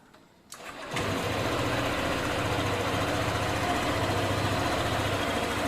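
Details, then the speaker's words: Honda ADV scooter with stuck smart key ignition knob, switch solenoid wires joined to bypass it: starter whirs briefly, engine catches within a second into an even, quick idle; normal start and idle, fault in smart key switch solenoid. "nah ketika kita sambungin maka kontak bisa diputar tuh nah ketika kita sambungin kontak bisa diputar dan motor bisa hidup nih"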